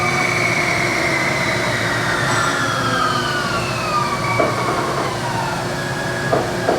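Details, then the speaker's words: Mazak Integrex e650H mill-turn turning spindle after replacing a relay and the spindle power supply, high range up to 1600 rpm maximum: clean whine sweeps smoothly through its speed range without hunting. Everything seems fine; normal run. "so everything's working now see I should be able to go up to 1600 rpm is a maximum which is there so everything seems to be"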